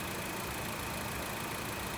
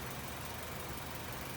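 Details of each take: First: 2017 Honda WR-V idling with AC engaged after compressor replacement for a loud engagement noise, pressure reported correct; steady even hum, no knock or squeal, healthy compressor. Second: 2017 Honda WR-V at idle: loud steady rough droning rumble, bearing-like, appears when the AC is switched on; internal compressor wear releasing debris into gas and oil, fixed by replacing the compressor.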